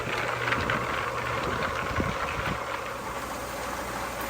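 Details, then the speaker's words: Homemade rock tumbler after its bearings were rebuilt: steady low hum with soft, uneven rock clatter, bearings running quietly; sound level dropped from about 90 to 75-76 dB. "I'm very happy these bearings are so much quieter as you can hear"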